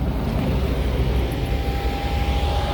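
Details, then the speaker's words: Mercedes-Benz C300 after water damage and CAN communication shutdown, engine running after drying out: loud, steady even roar with no pitch change; cooling fan locked on high speed because modules' signals are missing. "in a few seconds you're going to hear the fan will kick in here"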